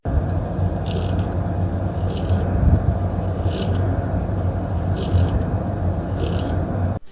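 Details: Brand-new Gigabyte RTX 2060 graphics card: heavy steady low droning hum with faint chirps about every 1.3 s from vibrating fan mounts; performance unaffected, fixed by adding rubber under the four fan screws.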